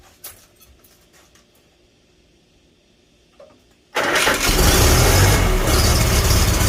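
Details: Farmall Super A tractor after the magneto was reset and timing adjusted. Quiet at first, then the small four-cylinder catches and settles into a steady, even chug with no misses; running healthy.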